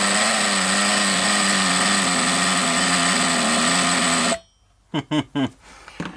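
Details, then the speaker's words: Thunder Tiger EB4 S2 Pro nitro RC buggy, shed find, idle screw just turned lower: raspy buzz wavers about four seconds then cuts out; owner suspects a bottom-end main bearing seal not sealing, unconfirmed. "is going to be sporadic it's going to be up and down there's a good chance that perhaps one of the bottom end seals isn't quite a ceiling on the main on the main bearings"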